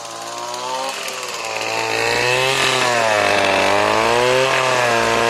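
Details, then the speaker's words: RedMax two-stroke weed eater that sat for years, bad carburetor, run on mixed gas with Lucas 2-stroke oil; revs rise and fall on throttle, knocking as revs drop, won't idle; owner suspects very low compression: knock on deceleration. "Hear that knock when I let off? That don't sound too good."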